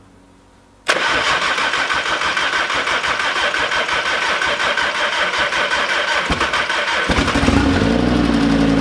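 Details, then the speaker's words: Audi RS3 five-cylinder, engine just refitted and reassembled (spark plugs torqued to 30 Nm, coils refitted), no exhaust fitted: first start, quick crank catches at once into loud, raspy, even idle, no misfire; normal start and idle. "Oh, le bruit. Oh, ce bruit de 5 cylindres. Je suis trop content, mon gars, je suis trop content là."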